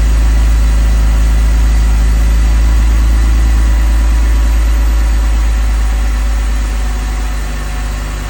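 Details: 2002 BMW 330Ci at cold start, heater on low to circulate coolant, after a month unused: deep, even idle, no tick; earlier ticking gone, owner suspects a collapsed lifter pumped back up, still losing coolant.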